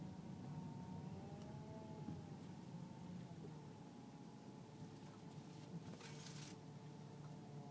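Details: Car whining loudly when turning left or right below 10 mph, less at high speed; power steering fluid full, no leaks or foam, belt normal: thin wavering high whine over engine; pump or rack suspected, unconfirmed.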